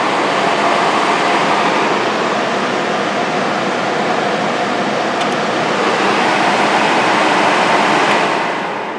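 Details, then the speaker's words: Homemade 15 kW electric furnace blower heater from salvaged furnace parts, breaker on, switched to external thermostat in heat mode. Steady airy rush with no rattles, scraping or pitch wobble. Blower running normally; the thermostat control appears to work. "so now turn the breaker on turn this to external thermostat it should come on we're good in heat mode"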